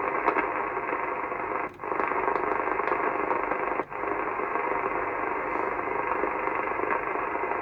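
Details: Cobra 2000 GTL CB radio on an aerial, receiving after first showing no receive: steady hiss of received signal with two brief dropouts, audio coming through cleanly; the receiver is working normally.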